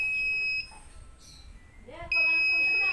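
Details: Polytron PAW-7511 Zeromatic washing machine control board after replacing the electrolytic capacitor near the buzzer, which had made the beep weak and faint: two loud, clean, steady high-pitched beeps; buzzer now healthy.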